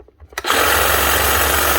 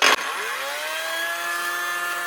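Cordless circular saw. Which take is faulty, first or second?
second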